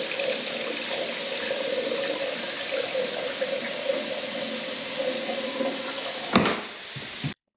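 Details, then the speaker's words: Urinal draining freely after a blockage was cleared: steady even rush of water, no gurgling or choking, ending in a clunk; no leaks, running nicely. "right so there we go no leaks or running nicely"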